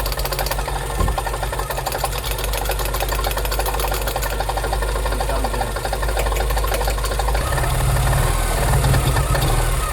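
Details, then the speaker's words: Porsche 944 after 20 years in a hedge, first start in hot weather: rough uneven knocking and clatter over low engine rumble; abnormal mechanical noise, cause not identified. "Something isn't happy. Something's really unhappy."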